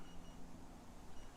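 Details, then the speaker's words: Teamgee H6 electric skateboard during a long-range test: three faint high beeps over a low hum as the last quarter of the battery indicator flashes, the board's low-battery warning. "It's beeping 3 beeps, and it's now showing the last quarter battery flashing."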